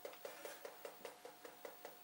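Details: Old chart recorder paper drive at 0.5 mm per second: crisp, even ticks about five per second in a quiet workshop. The paper drive is stepping normally.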